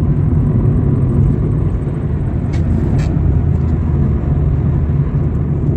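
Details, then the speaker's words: Lada Kalina Cross (Lada Granta) with a robotized gearbox, accelerating in fourth gear in manual mode: a low, steady hum that is the engine, with no whine, grinding or clunks from the gearbox. "Вот разгоняюсь, коробка, вот смотрите, тишина, тихо, гудит двигатель, и то его еле-еле слышно."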